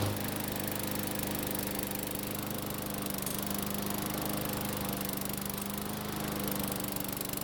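Steady buzzing drone at constant speed that holds without surging or dying out; the mower is running properly.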